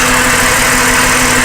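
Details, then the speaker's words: Ford BA Falcon 4.0L six idles unevenly with an irregular low shake, coils loosened for cylinder-by-cylinder testing: rough idle from an ignition coil or spark plug misfire. "we're gonna try and find if one of the coils or maybe possibly a spark plugs not working properly so we'll just start it up now and you can see it's running pretty rough"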